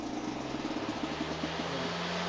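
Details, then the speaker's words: Homemade RC lawnmower converted to electric, powered through two DeWalt battery adapters: fast warbling buzz pulses at switch-on, easing into a steadier hum after about two seconds; nothing found hitting, cause of startup noise unknown. "I don't know why it's making that noise. I don't know why when it starts up it does that."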